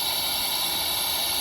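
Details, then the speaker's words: Toyota Tundra engine off, leak-down tester on cylinder 3 with the piston at top dead centre on the compression stroke: steady high-pitched air hiss as air bypasses the valve seat, shown with soapy water; a lifter appears stuck down. "so we have a leak and i sprayed soap down there so we can see what's going on and you can see how it's just it's bypassing the seat"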